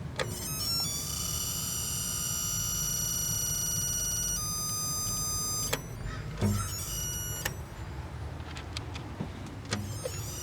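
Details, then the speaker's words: BK 1077 television (two horizontal output tubes, 33GY7 driver) squeals steadily at power-up with no high voltage; set looked water-damaged, yoke or flyback suspected. "like I said no high voltage I think it just squeals so it's got two horizontal output tubes"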